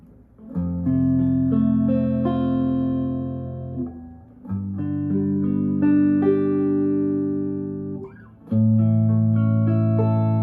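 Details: Brand-new Yamaha Revstar electric guitar after fret work and a setup with action set much lower than standard: chords ring clean and sustained at several neck positions, with no buzzing or rattling.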